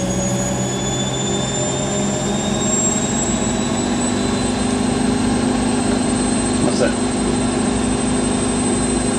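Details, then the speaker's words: Rescued Siemens WH54080/07 Extraklasse XL 1000 washer, Cottons 90°C test load, final spin at 1,000 rpm: even high-speed hum with faint whine, no knocking, quiet with sound insulation and no vibration; normal spin. "it really quiet is padded with uh sound insation around it that's it 1,000 they're not the most exciting but was not but good and there's not really any vibration from that"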